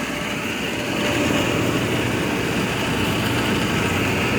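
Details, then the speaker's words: 2001 Coleman Maxx hot tub pump: loud steady drone with rough gritty edge; noisy pump probably needing replacement sooner than later, didn't sound like this a couple weeks ago. "And hear that pump. Probably gonna have to be replaced sooner than later."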